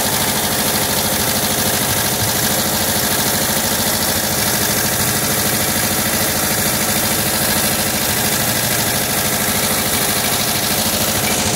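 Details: 1979 Volkswagen Type 2 with 2-liter fuel-injected flat-four engine at idle: light glassy clink repeating two to three times a second, like bottles banging; owner suspects the fan, refitted unmarked after cleaning and painting; cause unconfirmed.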